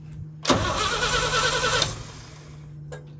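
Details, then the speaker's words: 1966 International Harvester 1100A pickup, BG 241 engine, entombed 24 years, new battery: starter churns steadily about a second and a half, never fires; no spark, points at fault and later replaced; crank no start. "P all right turn that off yep out yep I don't think it's getting any spark"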